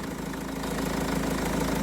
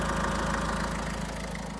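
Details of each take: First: Renault Trafic diesel work van, nearly 240,000 miles, after replacing an alternator that caused a bearing whirring noise: steady, even idle with no whine. Normal idle after repair. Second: Renault Trafic diesel van, nearly 240,000 miles, belt refitted: idle with a constant whirring hum over the clatter; first thought to be the power steering pump, traced to a worn bearing in a recently fitted replacement alternator.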